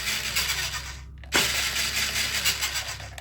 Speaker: And now you hear that? That's the servos turning those wheels